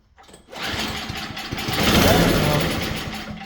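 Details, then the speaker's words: Engine on an MTD snowblower (oil present, strong bright spark) catches and runs rough briefly on fuel poured into the cylinder, then dies; fault suspected in fuel delivery, carburettor to be checked next. "Alright, she's fuel related."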